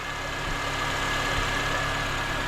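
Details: Honda Accord 2.4L K24 (2003–2007) just after serpentine belt replacement, engine started to check belt seating: steady, even idle with a smooth low hum and no squeal, chirp or slap from the belt; healthy.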